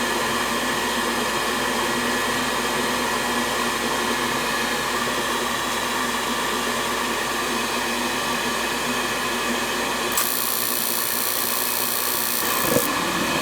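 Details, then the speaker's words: 90+ propane furnace whose four burners reportedly fire once then lock out, no makeup air: steady even roar as flame carries across burners without delay, so crossover and burners are clean; normal ignition. "Yeah, she went across nicely. So that crossover piece is not dirty. See how that fired nice? Yep. That's perfect."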